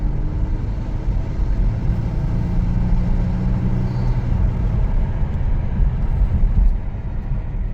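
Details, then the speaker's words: 2022 Kia Stinger, 32,000 on the clock, low power/limp mode: flat-to-the-floor pull gives only a dull flat rumble and the car barely moves. Low fuel rail pressure is suspected, with the pressure set point not moving. "that was flat to the floor no this thing's not hardly moving out of its own way so we'll check that fuel pressure in a second"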